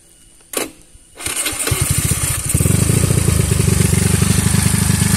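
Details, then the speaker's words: Honda Beat carbureted scooter bored up to 130cc, unused about a year after 9 months of riding without maintenance; starts after a brief crank, then a coarse, uneven putter with harsh pulses; rough running, with light smoke, owner suspects worn piston rings and a needed rebuild. "nah yang pertama itu mesin pertama gua naik itu dia gak apa ya dia nggak sekasar ini suaranya itu benar-benar kasar"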